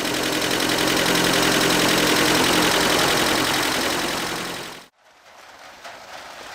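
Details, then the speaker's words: 1977 Toyota pickup, rebuilt engine whose rocker arm assembly was not replaced: fast, even metallic tapping from the top end at idle, about four a second, worn rocker arms clattering. "so what you're listening for is kind of like a metallic sound a bit of a clanking going on or a heavy tapping"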